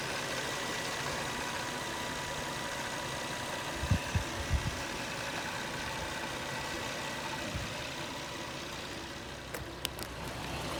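Steady idle with a few loose, irregular rattles and knocks breaking through now and then; something is loose, source not yet pinned down.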